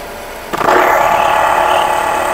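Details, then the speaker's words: Vehicle at idle, heard through a stethoscope on the alternator: steady gritty whirring; alternator bearing rough and close to failing, can seize and snap the belt. "Yan po yung ingay na maririnig nyo na yung bearing po ng alternator ay talagang anytime soon ay bibigay na."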